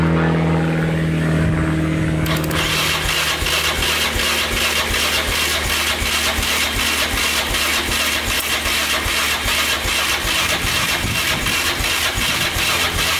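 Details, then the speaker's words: 2002 Yamaha Raptor 660 single after timing chain and bent valve replacement, choked: starter turns it slowly under three beats a second, never catches; owner first suspected fuel, but charger wasn't spinning it fast enough, portable charger fixed it. "all right so i ended up being the uh the charger wasn't turning over the engine fast enough to start it so i hooked up my portable charger over here that red one right there and that did the trick"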